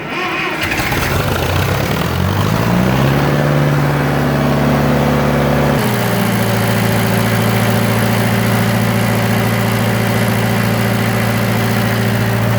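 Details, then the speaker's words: Around-1966/67 John Deere 400 tractor, after distributor repositioned and plug fitted, choke on, low throttle: starts, hunts briefly, then steady even low putter; idling smoothly. "yeah we will have to slap a tachometer onto it well it's idling that's pretty impressive I wouldn't have thought that"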